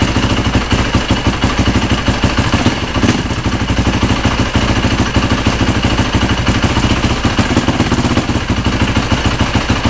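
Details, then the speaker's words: Freshly rebuilt Yamaha YZ450 four-stroke single, test-started with tank off after replacing the stretched timing chain, oil smoking on the exhaust header: fast, even idle without the earlier loud ticking; noticeably quieter and healthy. "got some oil on the exhaust header that's wise it's smoking but it does sound quieter I really think it does"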